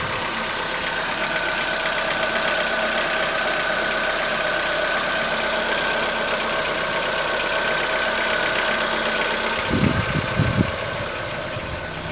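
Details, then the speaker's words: 2014-15 Chevrolet Onix 1.4 on gasoline, cold start: fast fairly even ticking about four per second over steady idle; owner suspects lifter tapping inside engine, not injectors, present since new, lasting about 10 minutes and worsening yearly; dealer calls it normal. "Não é barulho dos bicos trabalhando, é dentro do motor. Conforme o ano vai passando, o barulho vai aumentando. O barulho chega em torno de 10 minutos."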